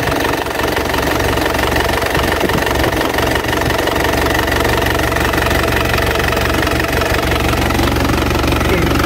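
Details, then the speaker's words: 2010 Isuzu Panther LV 2.5 turbo diesel, refreshed, idling fairly warm: loud, even diesel clatter at a steady rhythm with no misses or surging, and no blow-by at the oil filler. Healthy normal idle. "Mesinnya sehat teman-teman. Tuh, aman ya, mesin aman, tidak ngobos sama sekali."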